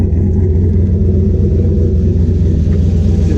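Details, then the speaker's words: Turbo Chevy C10 V8 with new 78mm turbo and rebuilt stainless exhaust (flex pipe, custom tip) fixing earlier leaks: deep steady rumble, even beat, no ticking or puffing, turbo spinning up; normal idle. "oh dude that's freaking good then it sounds like a race truck does race truck why it is it is I mean it's not quiet but let it settle into a doddle"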